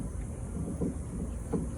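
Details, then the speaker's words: Two dull, low clunks about three-quarters of a second apart as a mechanic levers the suspension, replicating the noise; confirmed coming from a worn sway bar link bushing joint. "Okay, so we replicate the noise, and it is the sway bar or sway bar link. That's the sway bar link right there. Okay, so sway bar link's making that noise."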